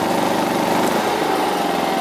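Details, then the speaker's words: WAKITA HPG2300is 2.3kVA inverter generator, unit 2, not fully warmed and started on choke, driving a heat gun: rpm drops then the governor holds it, with slight hunting (owner suspects low fuel); power output fine. "ガバもいいて回転がね落ち込んでも維持しようとね努力してますよねちょっと燃料少ないのかな若干ねガバ付きありますけどちゃんと電気は出てますね"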